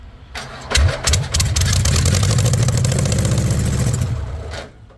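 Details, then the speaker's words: VW Beetle rat rod, first start after a long build: cranks, catches on starting fluid and runs rough about three seconds, then dies. It is starving for fuel with only a weak squirt at the carb. "She just ain't getting gas. Watch, let me squirt it and it fires right up."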